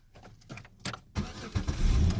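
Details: 2004 Pontiac Grand Am that clicked but would not crank, now with a new starter fitted and the battery reconnected: a short crank, then it catches on the first try and settles into a steady low idle. A clean, healthy start.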